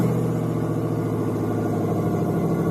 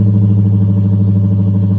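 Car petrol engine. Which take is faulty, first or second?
first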